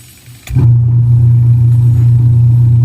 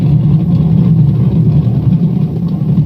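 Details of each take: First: Washing machine after repair of broken gearbox gear and worn rubber damper bushing: motor kicks in and settles into a smooth steady low hum, no grinding or knocking. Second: Washing machine making a loud, rough, churning low growl; owner suspects a broken gear (gearbox) that failed during the last wash cycle.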